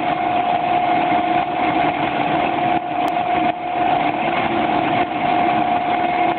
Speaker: ですはいえ今のは正常な音に対してえ2番還元機です3番ですH